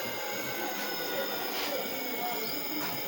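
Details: Electric bike hub motor after opening it up and fixing the motor noise: steady faint whine with a quiet even hum, no grinding or scraping; motor sounds healthy.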